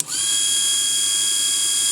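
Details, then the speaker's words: Mini table saw (about 3–4 in blade, 1 in max cut depth) with a rotary-tool power take-off chuck: a high, steady motor whine comes straight up to speed and holds without sagging before the sanding demo; normal, healthy motor run. "sounds good let's do a little sanding oh no works very serviceably"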